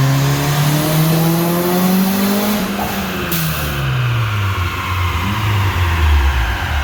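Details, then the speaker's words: Turbocharged Honda RSX on the dyno, electronic boost controller at 80% duty: revs climb hard on the rollers, then power abruptly drops and revs fall. Boost cut during the pull. "So what you just saw during that pull was boost cut. Right now we are at 80% duty on the electronic boost controller."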